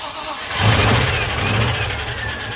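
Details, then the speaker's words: Range Rover Classic (suffix A) after a 4.0 V8 engine swap, first start once coolant filled; short crank, then the engine catches, flares loud and settles into a deep, even rumble; clean, healthy V8 start. "It's running! It's running! Oh my god, she sounds like a beast."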